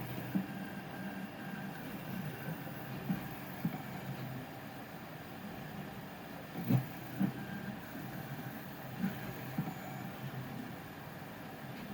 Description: On some layers the SL1S is struggling to do its tilt movement and make a bang noise